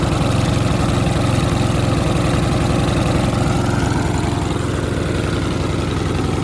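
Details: Mountfield RV40 150cc 45cm mower: even steady single-cylinder beat at one speed throughout, starts fine, no hunting or surging, so carb left untouched; normal running.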